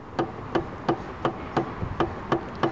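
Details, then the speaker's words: Intake manifold runner (code P2004) after carbon cleaning with a new throttle-body cleaner, moved by hand against actuator load: crisp, evenly spaced clicks as it bottoms out, no scraping, binding or hanging; runner moves freely. "you can actually hear it when it bottoms out when it stops so there's no binding there's no hanging up whatsoever of that Runner"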